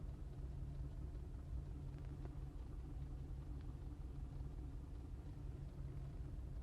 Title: 2005 Cadillac CTS 2.8L ROUGH IDLE MISFIRING